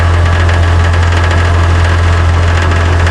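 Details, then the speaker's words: Car idling with a steady low hum and a light, uneven metallic crackle from under the rear of the car, caused by a loose underbody plate. "This is the plate that is actually loose, and that's why we have that crackling noise from the undercarriage."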